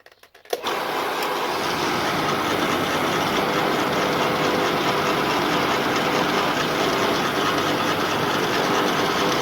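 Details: Bosch AXT 2000 HP garden shredder, given away as not working, second start attempt after fault finding: motor kicks in after a click and settles into a steady high whirring hum, no knocking or grinding, running normally.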